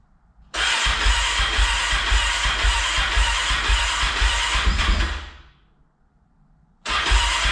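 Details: Rebuilt Honda TRX450ER on first start after fitting a new fuel line, with carburetor O-rings leaking fuel: it fires into uneven, lumpy thumping, dies after about four seconds, then restarts. Rough running; cause unconfirmed.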